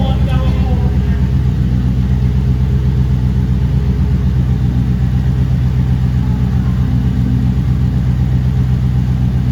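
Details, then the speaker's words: 2008 Toyota Prius with a swapped-in 5.3L LS V8 at first start-up after injector fixes: deep, even idle with a steady low beat and no misses, knocks or ticks; 50 psi oil pressure, charging at 14 V. Normal idle. "we got 50 lbs of oil pressure so I'm happy with that yeah it is so smooth"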